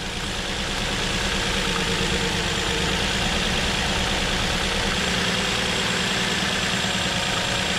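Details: 2007 Nissan Murano 3.5L V6 that had a cylinder 3 misfire, after fitting a new ignition coil: an even, steady idle with no stumble or skipped beats, all cylinders firing cleanly now.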